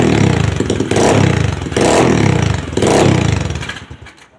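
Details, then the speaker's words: Customer's second SSR bike after carburetor rebuild, which previously needed starter fluid to start: the small single catches and fires, blips through three sharp revs, then shuts off. Starts and revs cleanly. Normal start and revving. "she took a little second but she's up and running no starter fluid need it iding pretty nice and good"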